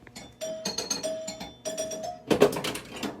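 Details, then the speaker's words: Flight 2000 pinball machine, a cross between old electromechanical and first-generation electronic games, at power-up: a short run of clear bell-like dings and tones like an old doorbell; normal start-up chime. "it still has the the old em doorbell style making noise like when you start it up"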